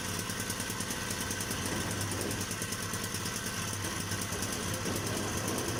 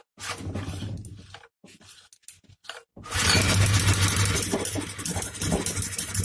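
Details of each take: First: Hyundai portable generator running steadily with a fast, rough metallic chatter about three beats a second from inside; internal contact, cause not yet found. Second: Hyundai portable generator brought in for a sharp metallic sound inside: after some clatter the engine catches and settles into a loud, steady hum with a low drone; generator running evenly.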